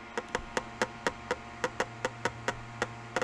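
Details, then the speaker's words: eSUN eBOX filament dryer, nearly full spool (about 100 g used) pulled down at a bad angle through the outlet: crisp knocks about four a second, some doubled; rubbing stops once about 25% is used. "When you have a full roll on there, which that's not a full roll, it's missing about 100 grams, it doesn't like going through here and it makes this sound."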